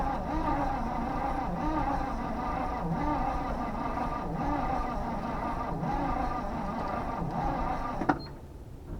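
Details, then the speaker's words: 1970 Chevy C20 dump truck, V8, being revived and now getting fuel: sluggish, uneven cranking, each stroke dragging until it quits. Slow cranking from a weakening battery before charging. "boy take two we gotta get the go get some charge around the thing I hear the battery getting low let's get the charger on it"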